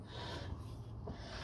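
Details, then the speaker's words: Ford KA front driver's-side wheel turned by hand, wheel off, after wheel got very hot: faint continuous scraping rub, pad touching disc with no gap, no brake fluid loss; brake pad dragging on disc. "now can you hear that it's rubbing it's rubbing and there's no Gap"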